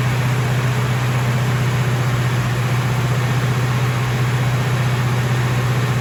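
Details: Freshly rebuilt 454 V8 in a 1970 Chevelle at its first start-up: loud, even, fast drone holding steady pitch; engine runs on because the idle is set too high.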